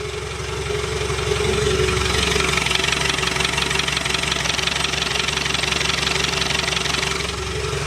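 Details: Land Rover Defender 110 diesel after a transfer box swap and new clutch, no exhaust fitted, clutch in, mic near the gearbox: even clatter about three beats a second with a light turbo whistle and no rattle; normal idle.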